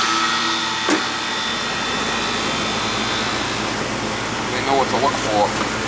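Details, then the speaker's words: Old Goodman AC condenser, previously not cooling: steady fan rush, even Bristol compressor hum, noisy by nature, no rattles or cycling; running normally and cooling again. "They call these the old brown turds, the Goodman, because they're noisy. Hear the Bristol in there making the noise?"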